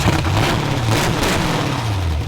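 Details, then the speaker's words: Carbureted derby-car engine running rough: steady but lumpy note that wavers and never settles to an even beat; owner suspects a plugged air cleaner or carburetor problem, cause unclear. "you hit this Hood unbolted see if we can figure out what's going on with this engine maybe the air cleaner is plugged or if there's something going on with the carburetor"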